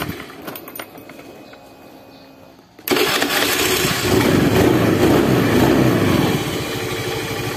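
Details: Honda Beat FI scooter that only clicked on the starter: after replacing the weak battery with one reading 12.5 V, starter catches and the small engine fires straight into a steady, even idle; battery was the cause.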